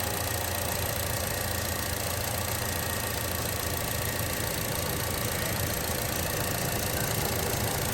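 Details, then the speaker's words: 2013 Chevrolet Cruze idling with AC on after replacing the old belt tensioner: steady even idle, previous loud ticking gone, no chirp; belt drive now quiet. "There's no more loud noises. It's very quiet now, as it should be."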